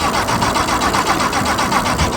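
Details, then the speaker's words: Heybike Hero hub-motor e-bike near the end of a range test, at full throttle with hard pedaling at about 12 mph, microphone moved close to the motor: a fast pulsing buzz of about six beats per second as the motor stutters. The rider stopped the test, fearing damage. "yeah that doesn't sound normal at all this is probably probably really bad for the bike at this point"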